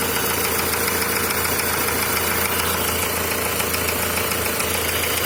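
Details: Volkswagen Passat B5 engine at cold idle with a steady tapping knock about twice per second; the source of the knock is undetermined.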